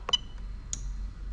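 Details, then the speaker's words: 1998–2000 Lexus LS400 1UZ-FE VVT-i engine with an adapted standalone harness, fuel pump relay switched on through a scan-tool active test before the pump is plugged in: a couple of crisp clicks in a quiet room; normal fuel pump relay operation. "and as you can hear straight away you can hear the relay clicking there which is fantastic"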